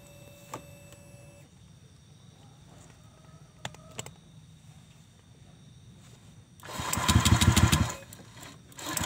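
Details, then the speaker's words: Honda Vario 125 (old model) stock CLD racing-style exhaust, before the glasswool packing is replaced: quiet idle, then a sharp rev with a thin, raspy, tinny note without bass; worn silencer packing. "Jadi suaranya tuh kayak garing cempreng gitu. Jadi kalau digas tuh udah nggak ngebas lagi."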